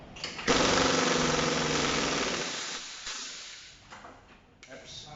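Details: Air impact wrench just serviced and reassembled, on a 5-second torque test targeting at least 100 kgf/cm²: rapid, even full-strength hammering for a couple of seconds, then it lets off; it sounds healthy and hits hard.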